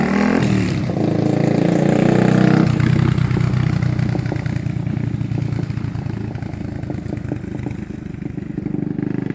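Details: 1980 Honda XL250S single on a test ride after fixing stalling, no-idle and no-start from bad fuel and cleaning the carb; revs up cleanly, then even, quick thumping as it pulls away, no stumbling. Normal running.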